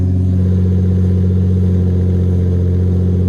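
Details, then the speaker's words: Lexus SC300 on its first cold start after the exhaust was redone: steady, deep, even exhaust rumble with no rattles or blowing leaks; a normal, sealed exhaust after repair. "Oh yeah. Cut it. It sounds like a normal car again. I'm happy."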